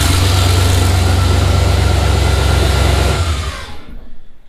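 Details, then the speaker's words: Chevy S10 with L33 turbo LS, first cold start after junkyard piston swap: deep, even idle with a sharp puffing pulse about 214 a minute on the exhaust beat; an exhaust leak at a V-band clamp. "Actually sounds pretty good, except it sounds like I have an exhaust leak from this V-band clamp here."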